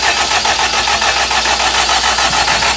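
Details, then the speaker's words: Honda K20 engine swapped into a Civic EK hatch, first crank with connectors unplugged so it won't start, cranking until the oil light goes off and oil pressure shows; base pressure already 40. Steady, even starter cranking with no firing, normal cranking. "we're just going to crank the car while we unplug this stuff we don't want any we don't want the motor starting up so we're going to crank it until we see the oil light go off"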